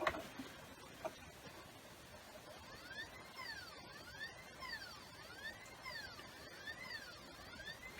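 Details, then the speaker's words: PS4 disc drive not reading games: quiet whirring that rises and falls repeatedly with faint clicks as the mechanism struggles to read the disc; usually fixed by cleaning the mechanics rather than replacing the laser. "that's the sound of the mechanic struggling to read the disc. 8 times out of 10 you don't need to replace the laser, we just need to clean the mechanics."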